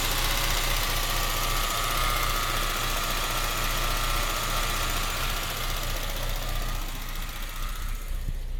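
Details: Citroen Xantia Activa petrol engine after replacing a temperature sensor and the ignition amplifier module: slightly uneven, lumpy idle around four pulses a second; still slightly rough idle, cause unclear.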